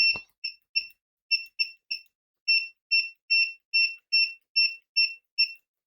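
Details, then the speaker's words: Owon XDM1041 bench multimeter continuity test: loud, high, clean beeps start and stop as the probes touch, about two a second, louder than the Siglent SDM3045X buzzer; working normally. "The buzzer is way louder on the Owon."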